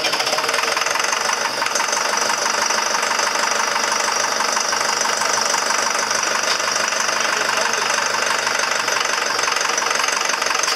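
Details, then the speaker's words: 6200 diesel that had not run for 3 years, first start: runs hard and uneven with a dull repeating knock under a rattly clatter and sounds tight, then starts loosening up. "oh but it sounds like it's tight for some reason didn't it sound like it was tightening up yeah"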